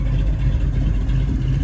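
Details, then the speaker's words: 1967 Mustang Fastback 428 Cobra Jet V8, cammed, warm after a 1-1.5 hour cruise: deep heavy idle with slight uneven lope; idle possibly set a hair high, lope would be clearer about 100 rpm lower. "It is cammed up. Again, if the idle was another 100 RPM lower, you'd hear the lope of the cam much better."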